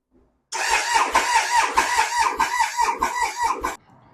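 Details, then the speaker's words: Triumph Sprint 955 three-cylinder cranking before valve shim replacement: fast uneven cranking beats with some light strokes; low compression on cylinders 1 and 2, likely from the shims, corrected after shim change. "So I'm going to insert the clip now as to what it sounded like before I've done the valves, shims."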